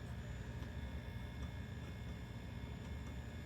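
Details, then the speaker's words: Late-80s Mitsubishi HS-337UR VCR playing a tape: heavy low hum with thin steady high-pitched squeal over the audio; suspected audio circuitry fault rather than the head. "so here we are with the Mitsubishi that's not working you can hear a squeal and hum as it's"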